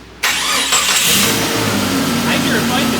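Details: Jeep Cherokee with freshly rebuilt engine, transmission and transfer case just swapped in during front-axle 4WD conversion: quick crisp crank catches almost immediately and settles into an even idle; starter engages cleanly and sounds healthy.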